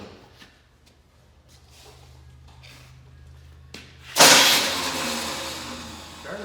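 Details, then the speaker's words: 1984 Chevy Blazer, starter test after connecting the battery terminals; sudden high whirring spin-up with no cranking beat, starter spins without cranking the engine, Bendix suspected of not kicking out, not confirmed. "spins sounds like the Bendix isn't kicking out"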